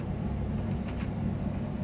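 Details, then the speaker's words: Bosch Serie 6 self-cleaning condenser tumble dryer after error E90, fixed by cleaning the filters and condenser lint: steady even low drum rumble, no clicking as before; normal running. "sounds and now it works last time it was the click sounds and it was E90 so E90 must mean clean the filters cheers guys"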